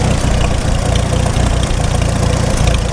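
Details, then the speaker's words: 1948 McCormick-Deering W-4 tractor on first run after revival, running out of gas: low heavy idle with uneven loping beat and dips in firing as it starves for fuel. "Running out of gas now. Put it out of its misery."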